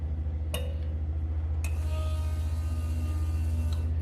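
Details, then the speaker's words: Ford F-350 with swapped 8.1 big-block, stock ECU, first key-on after adding 3.5 gallons fuel: steady low pulsing pump hum with a couple of stray clicks; fuel pump priming normally, nothing leaking. "stock ECU it has a just a prime oh nothing's leaking you can definitely hear it pumping"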